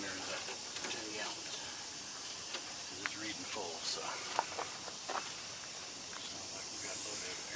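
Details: Volvo truck during preventive maintenance and inspection: steady thin high-pitched hiss under faint clicks, compressed air escaping at an air brake line fitting.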